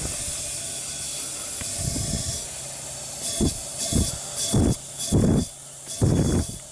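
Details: 2001 Honda Recon 250 ATV leak-down test, piston wired at top dead centre, valves closed, air fed through the spark plug hole: a constant hiss with surges as air is added. A head gasket was suspected, but the rings proved worn and seized in a rust-pitted bore.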